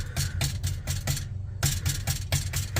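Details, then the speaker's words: Infiniti FX37/QX70 exhaust Y-pipe tapped underneath, quieter at the primary cats: each tap gives a hollow knock and a loose metallic buzz; the pipe is tight, so something inside the Y-pipe section is suspected loose or damaged, and it is being replaced. "it makes a a lot more noise and I don't know why like this is tight usually these get loose and make noise but this is for sure making noise right here"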